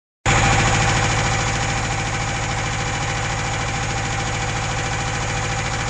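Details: UZAM 2.0-litre engine with twin Solex carburettors and a 78 camshaft, owner-built, first start with no tuning: catches and settles into a lumpy, uneven, pulsing idle; the jets later turned out to be all different sizes, leaving the mixture uneven.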